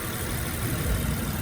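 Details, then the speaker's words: 2007 Honda Pilot at idle after topping up power steering fluid: steady smooth hum with no pump whine or groan; the noise had been caused purely by low power steering fluid. "el ruido ya desaparecido era pura falta de líquidos power steering"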